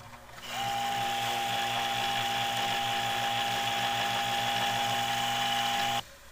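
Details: 1980s Black & Decker heater converted to a fan, running on a light dimmer with heavy metal blades: steady high piercing whine over a fast fluttering drone; owner suspects the motor needs oiling again.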